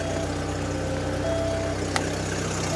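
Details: 1993 VW Cabriolet after fuel pump replacement: steady, even low idle hum with no misses, knocks or surges; runs smoothly, starting far better than before.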